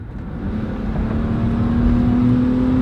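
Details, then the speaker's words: Old, cheap Ford Explorer SUV with no injector codes, a suspect mass airflow sensor and worn shocks, accelerating onto the highway: the engine note climbs smoothly with even pull and smooth shifts, no knocks or misses. Normal acceleration. "decent acceleration and look even though it's got that big bash in the side it tracks hands-free no problems at all"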